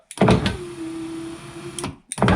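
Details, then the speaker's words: 2004 VW T5 Combi passenger-side electric window, slow and noisy, after reassembly: dull thunk, slow strained motor hum about a second, another clunk. Regulator cable binding and struggling. "there's a big clunk in between I don't know if you can hear it you can hear the cable struggling"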